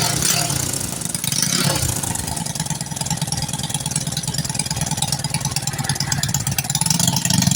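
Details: Honda Karisma/Supra X 125 motorcycle that stalled after about 1 km, with failing original CDI replaced by a good used one: small single settles into a steady, even idle with clean firing, no misses.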